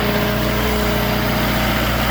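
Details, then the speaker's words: Hitachi machine with gear train low on fluid, Deere oil used instead of Hitachi oil: steady idle with strong, even low howl over the engine note; noise gone after filling the gear train. Gear train howl. "Yeah, that's not good. Hitachi death howl, baby. Let's just say we found the problem."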